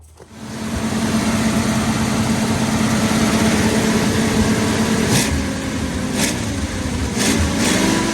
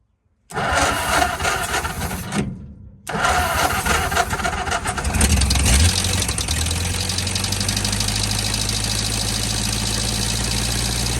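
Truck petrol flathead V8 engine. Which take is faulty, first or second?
second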